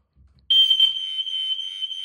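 A loud, steady, piercing high tone starts abruptly on the test button and holds. The alarm is sounding as it should.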